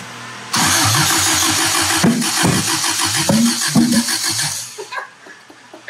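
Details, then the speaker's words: 1972 Toyota Celica with swapped JDM 18RG twin-cam carbureted engine, first start-up, throttle being worked: uneven, lumpy firing with a stumbling beat, not all cylinders firing; misfire. "I'm not an expert, clearly, because I don't know what the hell I'm doing, but it just doesn't sound like all of them are firing to me."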